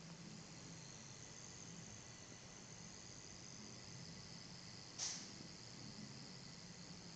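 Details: iMac 27-inch with CPU stress-tested to about 50°C: thin steady high-pitched screen buzz over faint fan hiss; faulty brightness control backlight board, since replaced.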